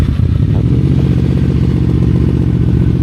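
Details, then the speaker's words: QJMotor Flash 600 V4 motorcycle just started, fast cold idle: fairly high, even idle with a deep steady burble that should drop lower after a while; sounds healthy. "His idle speed should drop slightly after a while. Now the idle speed is relatively high. It should be lowered in a while and the next step will be lower."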